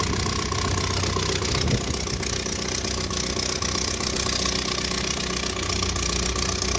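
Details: 1978 Triumph Spitfire 1500, jump-started after two weeks sitting; after idling then revving there was a pop, and now it idles loud and coarse with a chuffing tractor-like beat. Owner suspects an exhaust leak; cause not confirmed.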